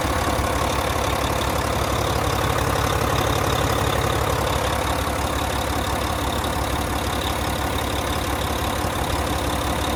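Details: 2014 Volvo VNL day cab with a D13 diesel and 13-speed manual, 600-something miles, oil filler cap off. Steady, even chug at idle with no knocks or misses; a normal, healthy strong runner.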